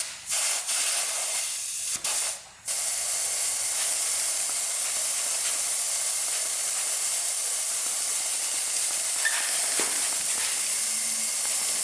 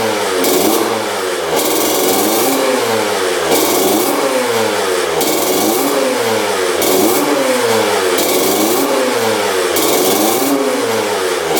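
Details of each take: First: 2000 Honda CR125 two-stroke with a severe bog, crankcase pressure leak test: a steady sharp hiss of escaping air starts immediately and holds; the air is leaking at the crank seal under the side cover. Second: 2000 Honda CR125 two-stroke after fresh 40:1 fuel, idle lowered: sharp throttle blips rising and falling cleanly, no bogging or missing, blue smoke; still slightly boggy on top end when cold.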